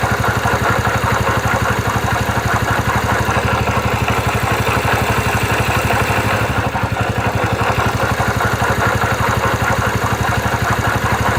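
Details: 2009 Yamaha Factor YBR single-cylinder motorcycle at idle: steady idle with a repeating tap of roughly two or three per second over the exhaust beat, strange noise from the engine; abnormal engine noise at idle.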